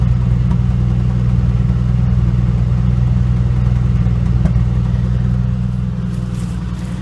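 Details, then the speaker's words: 1985 Dodge Ram D100 225 Slant 6 just after a cold start, sat two days at about 25°F overnight and under 40°F: low, smooth, even idle settling slightly quieter, no ticks or misses; normal cold idle. "And just like that, been sitting all day yesterday and all day today. It's not exactly warm."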